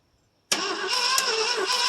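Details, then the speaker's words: 1968 Mercury Monterey 390 FE two-barrel, sitting about 20 years, crank attempt with corroded points: uneven, lurching cranking that never catches, choke butterfly sucked shut and pushed open; owner suspects at least one stuck valve. "I know it's got at least one stuck Val because it's sucking that butterfly and choke shut and pushing it open every time you cranking it over"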